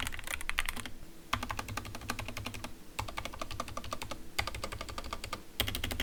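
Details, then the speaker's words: Skyloong GK61 optical mechanical keyboard with stock Gateron Yellow optical switches, initial typing test before lubing and filming: fast clacky keystrokes, smooth but with a faint scratchy edge on each press and rattle from stabilizers on bigger keys. "As you can hear, it is still smooth but with some scratchiness. Our goal for this modification process is to make it more smoother and fix the rattles from the stabilizers."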